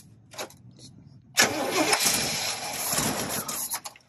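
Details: Free marketplace RV engine, first start in reportedly 15 years: short crank, then catches with a rough burst for a couple of seconds and fades out; stalls after firing, no fuel pump heard, likely no fuel supply.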